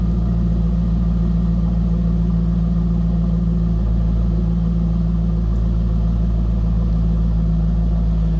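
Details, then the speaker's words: 2003 Chevrolet Corvette 50th Anniversary convertible, LS1 5.7 L V8, apparently Corsa exhaust, heard at the rear. Deep, steady idle burble with an even low rumble and no knocks or misses. A healthy, throaty exhaust. "This has a nice throaty exhaust note. Listen to this."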